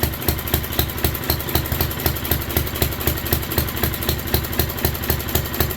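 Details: 1967 Unico 7hp tractor with rebuilt carb, first run in 27 years, fuel valve left open: even quick thumping about four a second, steady without stumbles; clean settled idle.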